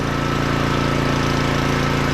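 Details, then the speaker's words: Small auction generator after cleaning the spark plug, fresh oil and fuel, air filter: steady even hum with a constant low drone and no misses or knocks; running smoothly. "now little thing runs really good so that's A500 W generator"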